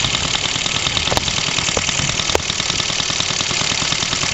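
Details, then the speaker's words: Old homemade steam car running on compressed air: fast, even chuffing at two to three beats a second over a constant hiss, with no knocks. Little pressure builds; it runs great. "That's a pretty good test run. Got to do it. The pressure from the boiler. Not much pressure building up anyway, so nothing really to worry about. But yeah, it runs great."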